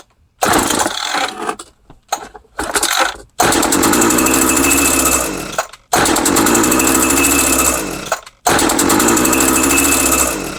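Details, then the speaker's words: Craftsman hedge trimmer with a 21cc two-stroke engine, roadside find with old fuel lines, plug refitted after lubricating the cylinder. Choppy pulls fire into short raspy bursts that fade. Compression and spark are confirmed, but fuel isn't reaching the carburetor: fuel starvation. "Okay, so she popped off and it ran. Well, I wouldn't say it ran, but it popped off and sounded good. So we know that it's got compression."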